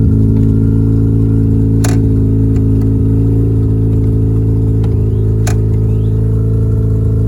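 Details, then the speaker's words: Mazda FC RX-7 rotary after an emissions delete, with the intake manifold refitted to fix a suspected loose injector and the oil catch can not yet connected. It holds a loud, even rotary drone for several seconds with no misfire or knock and runs healthy. "It sounds healthy, and I think it should just fire up every time."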